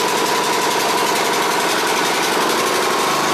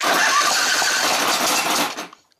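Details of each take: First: Exmark Viking mower V-twin after reinstalling the forgotten fuel pump pulse line: even, steady firing at constant speed for several seconds before shutdown; normal running. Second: Exmark Viking mower engine on full choke and full throttle: catches with a rough popping rush for about two seconds, then dies; owner ruled out valves, governor, spark and carburetor, cause unknown; starts then dies.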